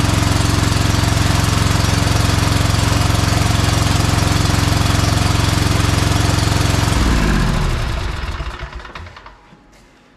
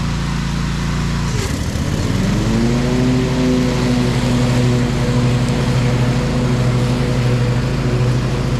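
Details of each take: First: Bad Boy Maverick zero-turn mower with a Kohler Confidant V-twin, low on power. It thumps steadily for about seven seconds, then sags and winds down to a stop as one side loses spark after running a while. The owner is pretty sure that side's ignition coil is bad. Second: Bad Boy Maverick zero-turn, Kohler Confidant V-twin, after new ignition coil fixing one-cylinder low-power fault, new deck belt, cutting thick grass; briefly pulls down then recovers to steady even drone – normal running under load.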